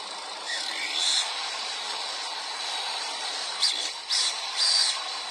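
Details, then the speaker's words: Turbocharger that spins under throttle but has trouble at idle; high, thin whistle with short squealing bursts and no low rumble. Worn core with excessive shaft play lets the compressor wheel rub. "lo que pasaba en ese turno era que se había desgastado demasiado el núcleo y tenía demasiado juego"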